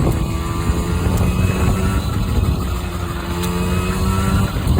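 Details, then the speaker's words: Honda NC50 Express two-stroke scooter on a test ride on a cold day, topping about 25: the buzz climbs cleanly through the revs over road rumble, pulling strong without bogging. Normal running under load. "It's running pretty good, you guys. I topped out about 25 so far. Wow. This thing actually runs pretty nice."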